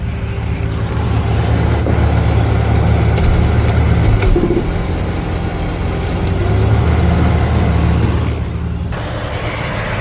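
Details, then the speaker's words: 1977 Ford Thunderbird V8 idling in park after fixing an exhaust leak between cat and pipe with muffler mud and gasket: deep, steady idle, no ticking or puffing; leak sealed. "buy yourself a 77 T-bird bad gas mileage sounds cool but it does burn out so it's fine so I'm back at my place of residence got idling here in park"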